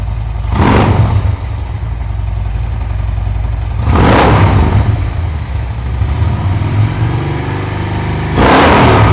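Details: Harley Twin Cam touring bagger just fitted with Cobra Power Port dual head pipes: deep, steady V-twin idle with three clean throttle blips rising and settling smoothly, no knocks or rattles; sounds healthy.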